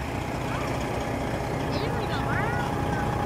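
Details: Truck diesel engine, claimed 1000hp, idling after swapping in a replacement ECM (original went through a fire), not revved; even rumble with a faint whistle, no knocks or misses; running normally.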